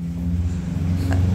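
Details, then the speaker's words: Yamaha Aerox that won't start, CVT cover off, cranking: starter whirs at an even, unloaded pitch with no compression beats, head not turning; cam chain suspected broken or off its sprocket. "Nah, ini didiagnosa cam chainnya kalau nggak putus, lepas dari giginya."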